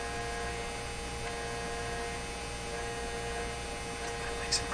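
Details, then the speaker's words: 1957 Chevy Model 561 vibrator-powered car radio during initial alignment, antenna pulled out, radio just switched on: steady low buzz with thin speaker hiss; vibrator power-supply buzz bleeding through, hard to tell from speaker buzz. "but i may not recognize the buzzy sound from the speaker versus the buzzy sound from the vibrator"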